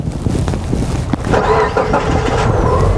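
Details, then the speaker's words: 2013 Subaru Impreza with no-start, diagnostic connector pin 4 grounded through pin 5: short crank, then fires and catches cleanly, settling into steady idle; starts normally with that ground. "and what this is doing is it's allowing four to get a ground through five and that's allowing the car to start"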